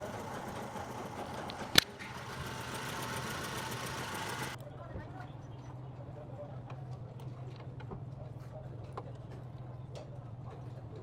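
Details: Suzuki Swift petrol engine idling roughly with an uneven, stumbling beat: one cylinder misfiring.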